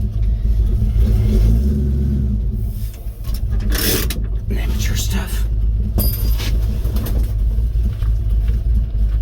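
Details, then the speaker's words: 1950 Ford F1 with Flathead V8 8BA on a test drive at about 45°F, after a new exhaust manifold gasket and missing header bolts refitted: low even rumble, no puffing or ticking, smooth quiet exhaust heard from inside the cab. "oh yeah nice and quiet quite happy about that fogging up the windows"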